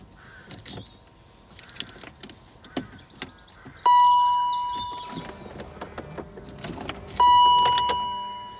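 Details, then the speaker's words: 2002 Range Rover L322 (spares or repair project), during battery drain check: sharp mechanical click as key goes into ignition, activating steering column lock, then steady chimes; normal steering column lock click. "when you put the key in ignition it activates the steering column lock so"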